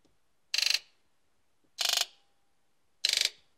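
Three short bursts of rapid, crisp ticking, each about a third of a second and spaced about a second apart; injectors are buzzing normally.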